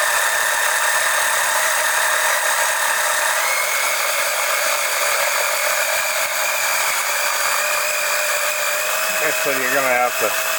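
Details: Electric oil extractor pump pulling oil during an oil change on an OMC 140 boat engine, around four to four and a half quarts out: steady high hum with a constant whine held evenly throughout; pumping normally.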